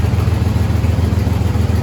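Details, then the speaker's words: 1st-generation Chevrolet S10 truck idling after catalytic converter replaced with a straight pipe, not yet clamped or welded: loud, raw idle with even low puffing beat and small exhaust leak; before, it would hardly run. "I just got it not clamped and not welded, so it'll probably be a little loud, and I know there's a little exhaust leak, but give us an idea, because before it would hardly run."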